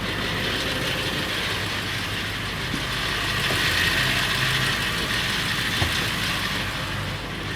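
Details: Late 1999 Ford F350, 7.3L Powerstroke diesel at idle: irregular metallic rattle over the clatter, more pronounced under the truck; owner wonders flexplate or engine, source not identified.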